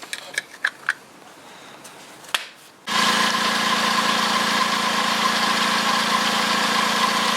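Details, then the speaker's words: 2012 VW up! 1.0 MPI 44 kW (CHYA) checked for a squeal from the belt drive: engine starts and settles into a smooth, even idle with no squeal or chirp from the belts; owner will replace the tensioner pulley if the noise returns. "also aktuell hat man nichts gehört"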